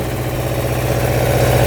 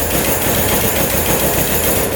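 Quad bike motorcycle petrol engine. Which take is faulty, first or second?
second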